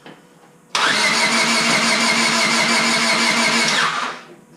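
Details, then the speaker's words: Honda Civic Si, first start attempt after rebuild, with valve cover and distributor installed and new battery, fuel pump priming. The starter cranks evenly and quickly for about three seconds without firing; crank, no start, ignition suspected. "Oh, another one. Must be ignition. Yeah, it's not even going at all."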